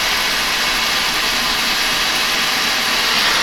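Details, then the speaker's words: Burnham boiler with Beckett oil burner and electronic igniter, running continuously after filter, screen and nozzle service: steady, even flame roar, no pulsing or rumble; clean burning, very low smoke, normal operation. "she's been running continuously nice and strong nice and clean she's getting a clean amount of fuel he was burning correctly providing no smoke very very low smoke"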